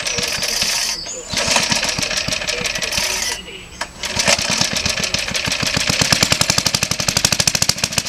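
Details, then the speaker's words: Suffolk Colt 12-inch lawnmower, first start in about 20 years after full strip-down rebuild with new valve and ignition coil gaps set: small engine pops at a brisk, fairly even beat, dipping twice before steadying; sounds healthy. "there we are brought back to life really beautiful"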